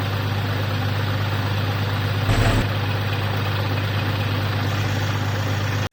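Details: 2013 BMW F30 N55 ActiveHybrid 3, warm idle after driving (silent when cold): fast steady rattle from the failing bottom belt tensioner pulley, mistakable for rod knock.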